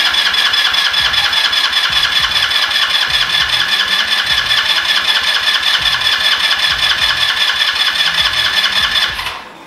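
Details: Yerf-Dog Spiderbox go-kart engine just fitted with a brand-new GY6 150cc carburetor after the rebuilt one failed: fast, even, raspy exhaust pulses at a steady high idle, no stumbling or misfire, then cut off; normal running.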